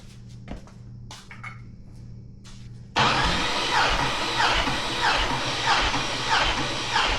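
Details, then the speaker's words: 6.2 LS engine bought on Marketplace, cranked on a newly fitted starter with the intake off and all plugs out for a compression check. The starter labours at roughly 95 beats a minute, far too slow with no resistance. Battery and cable bolts are suspected. "So, that felt like it was spinning over very slow for me. >> Super slow. >> Especially cuz all the plugs are out, so there's like almost no resistance. That thing should have spun over really quick."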